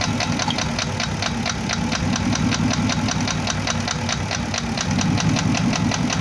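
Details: Porsche Cayenne Turbo, first generation 955, knocking engine: steady sharp tick-knock two to three per second over a rough idle; piston slap suspected from scored cylinder bores, possibly cylinders 5 and 6.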